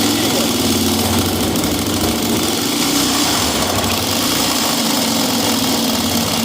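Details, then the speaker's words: Honda XLX 250 R motorcycle running: a very loud, harsh metallic clatter that seemed to come from the top end; suspected camshaft or cam chain tensioner, but the cause turned out to be a failed connecting rod. "mas não era realmente é biela né"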